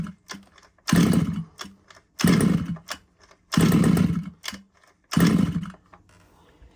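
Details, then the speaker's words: Losi 5iveT RC car pull-start engine: four one-second pull bursts, it coughs on each pull but never catches. Spark checked as good and plug cleaned with a wire wheel; it should start within a couple of pulls, so hard starting indicates an issue. "definitely trying it should really start you know within a couple of poles um if you don't then you know there's there's an issue"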